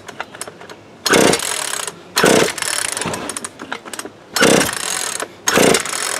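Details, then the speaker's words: Worn-out Craftsman chainsaw bought for parts, no muffler, only backfired earlier, nothing with ether: four pull-cord rasps about a second apart, never firing; no-start from next to zero compression. "Because I did get it to, it backfired a little bit down in the basement. It just has like next to zero compression."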